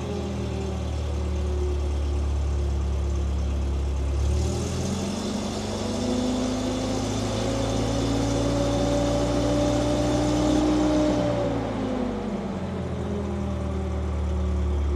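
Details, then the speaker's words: Terex carry deck crane after fitting a four-channel servo remote throttle control: steady idle, smooth climb to higher revs held several seconds, even drop back to idle; remote throttle works as intended. "hey that's what it's supposed to do nailed it"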